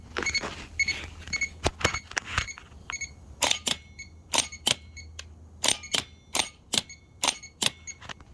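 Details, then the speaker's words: Original starter from a 2003 Nissan Altima V6, bench-tested with jumper cables on the signal wire: sharp dry clicks each time it's triggered, with no whir of the motor spinning; bad starter. "see didn't it spin bad starter"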